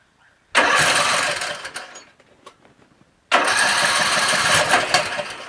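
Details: Troy-Bilt 17.5 HP 42-inch 8-speed lawn tractor, non-starter tested by adding gas and choke: short burst of cranking, a pause, then the small engine catches and holds a steady rough run; starts normally.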